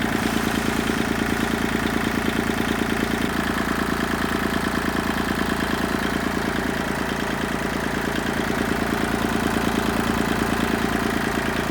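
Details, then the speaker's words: Kubota tractor diesel at idle after the repair: two O-rings fitted at the loader handle joint's washer. Steady, firm beat with no vibration or rattle from the loader lever, which previously vibrated badly at idle. "there you have it finally a quiet loader handle seems been driving me absolutely nuts at idle it would just vibrate like like crazy"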